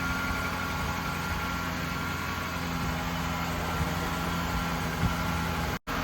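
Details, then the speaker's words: Lexus SC430 V8 bought at auction for $2,000, idling smoothly after replacing the bad serpentine belt and battery; previous squeak gone, steady low hum with no belt chirp or squeal, sounds really good. "Sounds good. Sounds really good."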